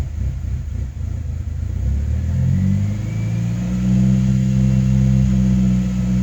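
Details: 2005 Saab 9-3 Aero after rebuild, code P0300, new plugs: uneven, lumpy low beat smoothing partly as revs climb; misfire, owner suspects coil pack, plans to swap coils one at a time.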